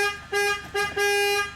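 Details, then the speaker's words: Chrysler Town & Country after horn repair: three clear steady honks, two short and one longer, engine running; horn now working normally. "So the horn is now working."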